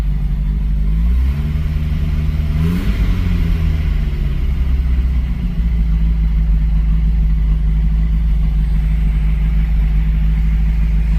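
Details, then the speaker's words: 1982 Porsche 924 Turbo first start after rebuild, timing and dwell set: engine catches, flares, then settles to a steady, even idle sitting slightly high with air filter fitted; smooth, no knocking; normal idle. "like it's idling a little bit higher after putting the air filter and everything on it."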